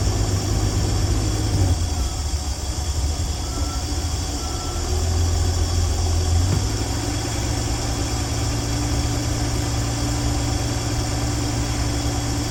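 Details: 1965 Dream van V8 settles into steady, even idle with low smooth drone, no misses or knocks, after wiring short repair and horn relay replacement, restarted with no leaks; sounds healthy.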